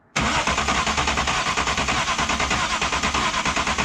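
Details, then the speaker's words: BMW E36 turbo M52, earlier with no compression on cylinder 4 after a suspected stuck lifter, cranked with all six plugs in: even beat of about three pulses a second with no gallop. Compression is much more even, though one or two cylinders are still lower. "ain't perfect it's still got a cylinder that's lower than the rest or a couple whatever I mean I never said the motor is perfect but that's a drastic difference from what we heard earlier"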